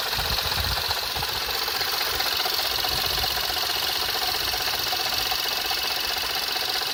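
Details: Skoda Fabia RS engine running steadily with a sharp knock at roughly 150 a minute; the knock comes from the engine or the accessory drive, source undetermined.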